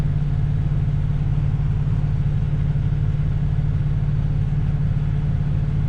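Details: 1967 Ford Galaxie 500, 289 Ford V8, just restarted and warming as the thermostat opens during first-start break-in: even, low steady rumble with a regular beat and no knocks or misses; a smooth, healthy idle.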